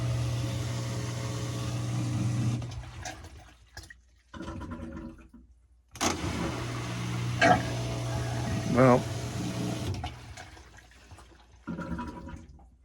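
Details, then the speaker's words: LG Tromm washer DB-02 (4681EA2001T) drain pump, fixed after OE error and stripped shaft: steady low hum with a buzzy rattle that starts and stops as it cycles; impeller loose and vibrating, rougher than the lock-shaft repaired pump. "But again, the repaired one with the lock shaft does sound a little nicer than this one with that impeller, I guess, loose like that. It vibrates. You can hear it vibrating."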